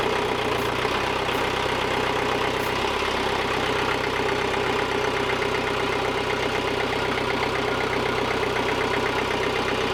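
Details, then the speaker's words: 2007 Bobcat S185, Kubota V2003 turbo diesel, after the sheared keyway was fixed and timing set to the marks: a steady, even diesel idle clatter with a regular firing beat and no misses or knocks. "we got ourselves a pretty sweet Bobcat so it only needs a couple more things coolant we want to put a new block heater in it but it's working like a charm"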